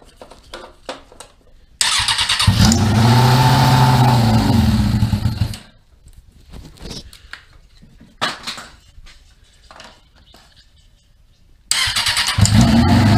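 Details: Golf cart swapped with a Suzuki GSX-F 600 engine, first start after filling oil with extra for hydraulic lines and oil cooler: engine catches twice and runs at a steady, even beat, no knocks or misses, cruiser-like; normal start and running.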